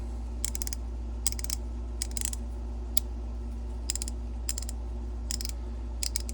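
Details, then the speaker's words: Craftsman ratchet about 70 years old, before cleaning and greasing, working both ways: short bursts of quick scratchy pawl clicks over a low hum, rough rather than smooth. "you can hear that it could be a lot smoother, and I'm not sure how good we can get it looking, but I'm sure we can get it better looking than this."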